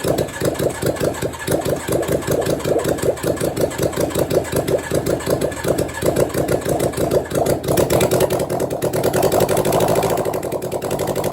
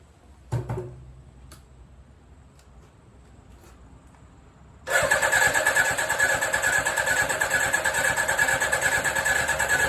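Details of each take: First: 1983 Suzuki GSX750ES four after rebuild, carbs newly installed, just started with no exhaust fitted, maybe on choke: loud raw rapid popping idle settling to a steadier beat; sounds like it runs on all four. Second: 1983 Suzuki GSX750ES four after rebuild, carbs newly installed, tank primed, first start, no exhaust fitted, maybe needing choke: brief cranking, near silence, then suddenly catches into loud open-pipe idle; slow to build compression and draw fuel, then runs on all four.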